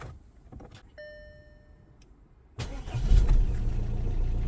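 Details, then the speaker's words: Audi A4 B8 diesel after an ignition switch (push-in key) replacement: a short chime, then it catches at once into a steady, even idle with the key staying in. A normal start; the code reader flags a blend motor noise. "And she starts, and look at that, the key stays in the ignition. Wonderful."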